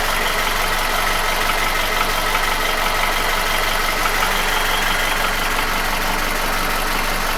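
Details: QG16DE engine, no hydraulic lifters, after piston ring, oil scraper ring, chain and shoe replacement 2000 km ago. A light, fairly even tapping at about three per second at idle appeared 1500 km ago, remained after an oil change and vanishes with revs. Owner suspects the front of the block near cylinders 1–2; cause unclear.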